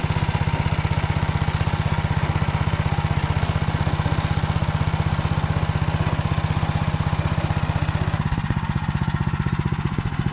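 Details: Tractor driving a Motor Sich rotary tiller through the Kamyansky gearbox, rebuilt after breaking with all 3 bearings replaced, under load in hard ground after winter barley: even running with a steady thud about four per second, no grinding or knocking; normal gearbox operation.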